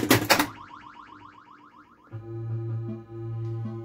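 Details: 1980 Bally Mystic pinball after fixing low 5 V on the solenoid driver board (voltage regulator jumpers), start button pressed: loud clunk, rising electronic chirps and a steady game tone; start-up sounds play normally.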